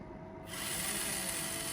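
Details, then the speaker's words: 1976 Bachmann U36B pancake motor bench-tested on clip leads at 6 volts, drawing just under half an amp, after cleaning, before gears refitted; spins up to an even, steady high whirr, no catching or grinding; sounds like it needs breaking in. "Oh, that's sweet sweet sound of a pancake motor. Here are 6 volts. It looks like she's pulling a little less than I use pulling half an amp. It sounds like it needs to get broken in some, don't it?"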